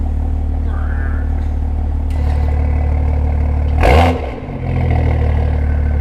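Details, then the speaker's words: BMW M2 LCI with iPE exhaust on factory valve actuators, cold start, after removing washers from the actuator springs to cure a cold rattle; steady deep idle with rushing surge as valves cycle open and shut, no rattle, normal exhaust valve operation. "It sounds so good. You forget how good it sounds. They seem to be working."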